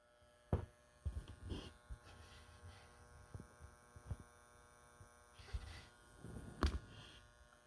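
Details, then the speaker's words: Transformer in a 6.2S/2C two-channel Integrated Separate System build, phone held close to it: faint steady mains buzz under handling knocks, audible close up but minimal from 15 feet; normal transformer hum. "think you can hear some buzz. I can hear loud enough if I stand right in front of it, but if I sit 15 feet away, it's minimal, very minimal."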